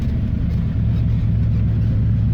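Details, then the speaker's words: Holley 600 double pumper carburetor back on after pre-adjustment, install and ignition timing; deep, even low rumble, steady with no misses, hunting or stumble; sounds happy, carb set well; normal idle. "so what that looks like our 600 double pumper is back on she's nice and happy sounds happy at least"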